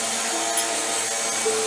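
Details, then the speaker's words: DeLaval 18 floor-model cream separator, hand-cranked fast enough: smooth high whirring whine holding steady pitch, no scraping or wobble; no longer leaking, bowl spinning properly at full speed. "we're not leaking anymore that's good cuz you're going fast enough"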